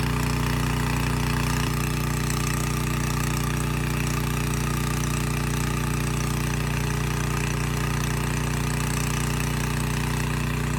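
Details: Abandoned Powermate generator with no AVR, running with no load after rust cleanup: steady, even drone at constant speed, about three firing beats a second, no hunting or surging; voltage brought down from about 135 V to 130 V; normal idle.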